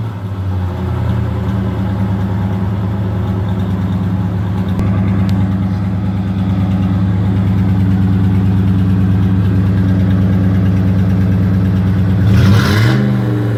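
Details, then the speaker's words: 1985 Oldsmobile Delta 88 with newly completed exhaust, pipes run out the back with no tips yet, before a major tune-up: a deep, even idle rumble with a brief blip; the exhaust sounds good, though the owner notes some rattles to find. "we're gonna go ahead and crank it up so I could show y'all what it sound like so far so that's what we work and wit up they can sound pretty good"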